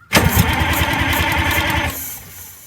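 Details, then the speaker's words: Detroit Diesel 8V92TA in Wanderlodge RV, compression test on rear cylinder with failed injector: strong evenly spaced compression pulses while cranking, about 400 reading; good compression, though oil control rings suspected worn. "that's a really good number jerry what is it 400"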